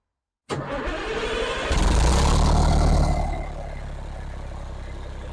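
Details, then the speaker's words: 2003 Foden Alpha truck with a Cummins diesel after an engine wash: a brief crank, then it fires straight up, revs briefly and settles into a steady deep idle; a clean, easy start while a leak is watched. "oh she starts all right no problem there at all"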